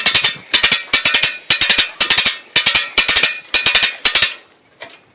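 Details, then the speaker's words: Dutton Lainson B2500 boat lift winch after brake repair, winding up with full boat weight: crisp even ratchet clicks in bursts of about four, twice a second; brake holding, no longer unwinding, normal. "B go okay so that says to me the brake pads inside are working what I can say now is the whole weight of the boat is now on the winch it's not simply unraveling as it was before"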